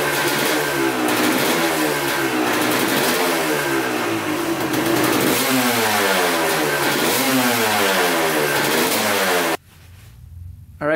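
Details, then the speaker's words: 1986 Honda CR250 two-stroke, sat over five years: a crisp crackle rises and falls with quick throttle blips, then drops back to a clean, steady idle. Oil is mixing with coolant (water pump seal suspected), but it runs perfectly, so the owner rules out the head gasket. "it's actually oil and coolant which sucks because the bike runs like perfectly so it's not a head gasket problem"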